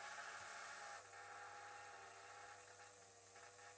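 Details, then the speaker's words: KTM RC 390 fuel system with 120 PSI-rated electric pump and mechanical regulator at 38–39 PSI: quiet steady whir with faint uneven buzz, suspected air purging from the system; fuel pump noise. "That's air, isn't it? >> Must be air. Must be air purging in the system."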